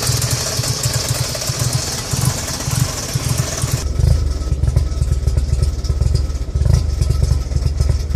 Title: Rough idle